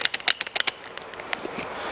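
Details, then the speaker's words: Ford Mondeo left-hand driveshaft removed; it clunks when changing gear. Worked by hand, the inner tripod joint gives about eight sharp metallic clacks in under a second from worn spider bearings and cup, which is replaced with another shaft. "when you change gear it's clunking making this horrible clunking noise like I said there's a spider in there with three bearings and this cup"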